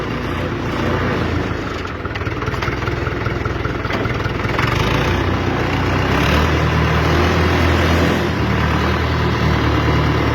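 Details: UTB tractor, engine rebuilt from zero, range reducer in low, fourth then fifth gear; new bearings, PTO shaft, seals and planetary gears. Steady diesel rumble pulling evenly under load, only faint gear noise, no knocking; low range healthy.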